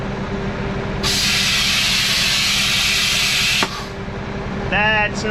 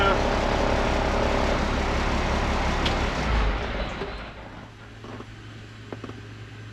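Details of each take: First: International 4900 truck at diesel idle, air brake parking valve started leaking while hauling corn: a loud, steady high-pitched hiss of escaping air that cuts off sharply. Owner suspects an air line to the valve. Needs replacement. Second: International IH 4900 truck after replacing a leaking airbrake parking valve, running to build air pressure then shut off: quiet with no hiss or bleeding air; no air leaks.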